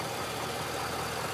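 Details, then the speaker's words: 2006 Chevy Silverado Z71, aluminum-block V8: smooth, steady burble at idle with no knocks, ticks or stumbles; sounds healthy, normal idle. "she's a purring little kitten this particular year of Z71 actually has the aluminum block kind of the LS3 of the vortex positions so she's a high performance Z71 06 model sounds good and healthy"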